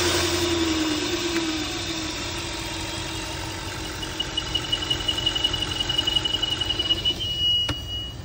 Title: AUDI RS5 In Idle Whistle Sound Coming From inside noise It’s noise coming from PCV VALVE